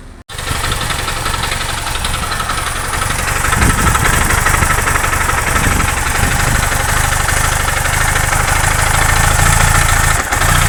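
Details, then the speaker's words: Honda Titan 160 motorcycle engine starts and idles with a busy metallic clatter; oil did not reach the head, wearing the camshaft and gear teeth from lack of lubrication. "Que ocasionou o desgaste do comando, o óleo não subiu, tá? Além do desgaste de comando, teve um desgaste de engrenagens, tá? Entre dentes de engrenagem teve desgaste devido à falta de lubrificação."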